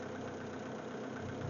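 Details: MG TF 160 VVC just after front and rear cam belt change, jump-started from flat battery: quiet, steady idle with even low rumble, no tapping or hunting; engine runs normally after the timing belt job.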